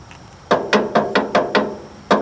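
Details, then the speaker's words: 1944 Ford 2N tractor, front tie rod rocked by hand: sharp hollow clunks, about eight in two seconds, from heavy play in the worn tie rod end before replacement. "The front one should be fairly simple too, because yeah, you can hear the play in those. There's a lot of play in them."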